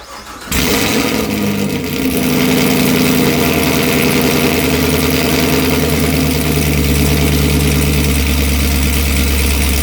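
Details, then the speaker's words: 2018 Chevrolet Camaro ZL1 with NPP valved exhaust, cold start with the active muffler removed: after a short crank it settles into a loud, deep, raw rumble at fast idle, and the sound stays loud even in touring mode. "oh my God okay yeah that's pretty loud all right well honestly couldn't even tell that I put it in uh touring mode at all"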